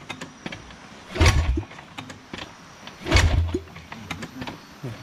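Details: Modified Indonesian underbone (bebek) motorcycle whose engine seized or ran heavy after filling with Pertalite from a mini station because Pertamax was sold out; after adding fuel, two short cranking bursts turn the engine over but it never fires. Compression reportedly good, spark plug to be checked.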